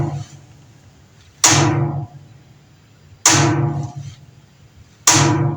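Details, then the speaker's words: Top-load Whirlpool-type washer on starting a cycle: three sharp clacking bursts about every two seconds as the lid lock keeps trying and failing to latch; lid lock to be replaced. "Ese sonido que acabamos de escuchar es del cierre de la tapa de esta lavadora. que no quiere cerrar al ponerle en marcha."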